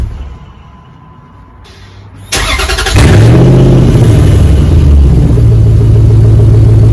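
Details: 2004 Dodge Ram 1500 Hemi 5.7 V8 after muffler and resonator delete, straight pipe fitted. Starter whirs, engine fires with a loud bark and settles into a deep, even burble with clean blips; normal start and idle, just loud.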